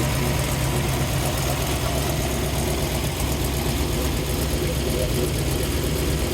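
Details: 1956 Ford Fairlane, 312 V8 with dual quads, rebuilt Carter carbs, headers to dual exhaust. Deep, steady burble with an even low rumble, no knocks or misses, a healthy idle.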